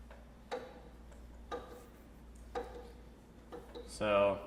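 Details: Bicycle with loose bottom bracket: sharp knock about once a second, once per crank turn, rest quiet; worn bottom bracket bearings need replacing.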